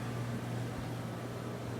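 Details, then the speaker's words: 1981 18,000 BTU air conditioner running on high. Steady low hum with an even airy fan rush, no rattles. The motor hums a little on low and may need new felt bushings; otherwise it runs smoothly. "man that sounds good"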